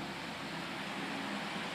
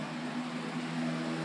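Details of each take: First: Repaired household fan: steady even whoosh and smooth motor hum, no rattles or speed hunting; running normally. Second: Homestyles fan motor running: a steady whir and low hum with a rough, gritty rush on top, clearly a lot of bearing noise from worn motor bearings.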